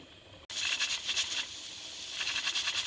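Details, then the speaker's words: Mirro pressure canner holding 6 quarts of squash, number 10 weight on after 10 minutes of venting. Continuous sharp hissing chatter as the weight jiggles nonstop instead of about 4 rocks a minute. Heat is too high and needs turning down. "so that sound you hear is that thing rocking. But it's getting too hot, and we don't want it doing that the whole time."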